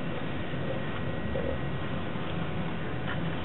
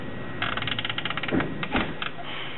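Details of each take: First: GM instrument cluster (Escalade, shared with Silverado/Tahoe/Yukon etc.) on bench test after all gauge motors replaced: needles swept by hand run smooth, only soft light ticks with no grinding, showing healthy motors. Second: GM instrument cluster (Escalade, same as Silverado/Tahoe/Yukon) on bench test: trans temp gauge stepper motor gives dry ratcheting ticks, jumping and grinding instead of running smoothly as needle sweeps; indicates failing gauge.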